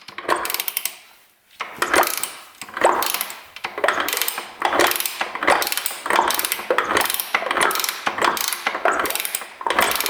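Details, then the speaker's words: 1994 Honda CR125 two-stroke, stored 12 years, water sucked from cylinder, slow kick-over: about one gritty rasp per second with loose knock; owner thinks the rod bearing is gone (rod knock). "that sounds like a rod knock to me no wonder the guy didn't want me to kick it over jeez I think that R Baron's toast"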